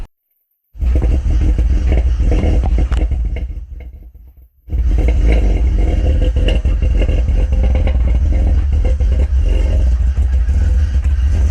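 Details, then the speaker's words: 2004 BMW 330Ci E46 with 264/248 cams, headers, no tune yet: loud deep rumble with uneven loping chop, about three to four lumps a second; normal big-cam idle, no fault. "Damn, bro. This thing chops harder than most fucking big block V8s."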